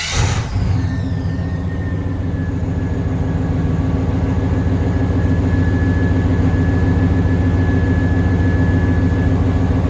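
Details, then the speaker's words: 1994 Chevrolet Silverado K1500 GMT400 V8 right after throttle position sensor and thermostat replacement for high idle: deep, loud, even burble with raw open-exhaust bark (straight out of cat, no muffler); idle settles smoothly and holds steady, much better. "So, already way better, guys. Sorry, it's very loud."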